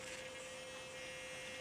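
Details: RC vehicle, steering end point being set: thin steady buzz at one pitch while the steering is held at full lock. The servo is straining against an overextended end point.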